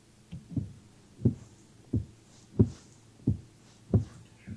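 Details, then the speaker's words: BMW (X5 tagged) windshield wiper creaking: rhythmic low creak-thump with each sweep, about one every two-thirds of a second; appears on new cars within months and persists even after replacing wiper blades; cause unknown. "雨刮器咯吱咯吱这个问题。很多车友说新车刚几个月就有了，而且换了雨刮条也不够用，还是有，听起来很廉价，也不知道是哪儿的问题。"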